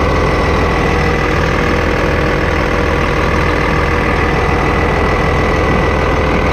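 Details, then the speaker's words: 8300T truck diesel at final assembly after an engine rebuild, before a test drive: even, steady idle with a regular beat of about 200 per minute, no knocks or misses; owner says she sounds good; normal idle. "you know she sounds good give her a little throttle"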